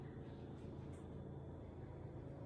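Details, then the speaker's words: Refrigerator making a loud low droning rumble that builds like an engine starting and stops when the door opens; damaged evaporator fan motor assembly labouring against ice buildup. "I hope you can hear that if you can't it almost starts like sounds like a I don't know an engine starting or something and it builds up"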